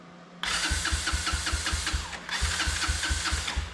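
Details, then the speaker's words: Honda ATC 125M three-wheeler, an old abandoned machine being revived, in neutral with choke on and fuel on: the electric starter churns at about five even pulses a second in two bursts, with no ignition pops. It turns over but won't start. "If you listen, you can hear the starter. But what you don't hear is the pop sound of ignition. You don't hear that pop, pop, pop, pop, trying to start."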